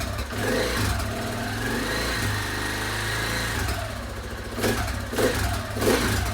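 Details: KTM 690 Enduro R single, after rocker arm replacement and a new battery, first run in 7-8 months, in neutral, valve clearances not yet checked: idle thump, then clean throttle blips rising and falling smoothly with no ticking or rattle. Normal revving.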